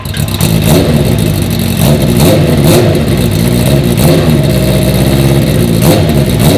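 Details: 1980 Honda CB650 four-cylinder bobber. Smooth, even, deep burble with crisp throttle pickup and no misfire or stumble. It runs way better, even with the choke off.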